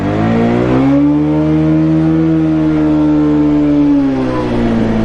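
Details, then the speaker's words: Bajaj Pulsar 150 BS6 at 51,324 km, kick-started because the battery is dead, ridden in first gear and up: revs held high, pitch swelling and easing, smooth drone with no pickup; worn clutch plates slipping. "लेकिन यह यह pick up नहीं बना रही है तो यह इसकी प्रॉब्लम है जिसकी वजह से इसकी क्लच प्लेट खराब हो गई है और इसकी वजह से भी ऐसा हो रहा है दोस्तों"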